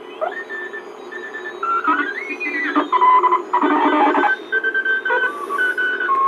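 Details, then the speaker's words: National NC98 ham receiver, bought for $6, after tubes were replaced with original types: CW received with the BFO comes through raspy and wavering with gritty edges; distorted CW audio, suspected out-of-tolerance resistors (eight later found, cause unconfirmed). "Hear that raspy sounding CW? It's terrible. Anyhow, so I'm listening to that, and I thought, oh, there's got to be something wrong."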